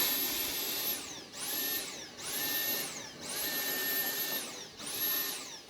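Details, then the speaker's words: Dyson V-series cordless vacuum after picking up drywall dust, trigger held the whole time: motor whine rises, runs about a second, dies and restarts repeatedly; pulsing from fine dust clog, fix starts with emptying the bin. "So I had my finger on the trigger that entire time, and the vacuum itself was shutting off and turning on, shutting off and turning on."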